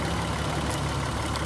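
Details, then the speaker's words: 2003 Honda Odyssey 3.5L V6 idling after the tested ignition coil is plugged back in: even, low idle rumble with no stumbles or misses. It runs smooth again, showing that coil is good. "so you plug it back in and the motor goes idle smooth um that's how you know this one's good"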